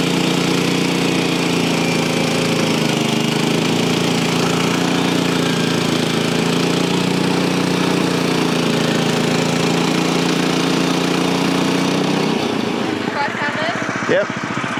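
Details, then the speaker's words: Frontier OS23 portable sawmill cutting old-growth southern yellow pine: steady single-cylinder drone, pitch sagging slightly as the feed pushes in; engine note dropping under cutting load, pulling correctly. "You push it all the way. Go a little faster. You want to hear the motor just change. There you go."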